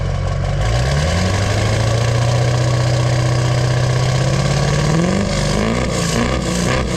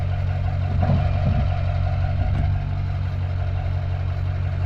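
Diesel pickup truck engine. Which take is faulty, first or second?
second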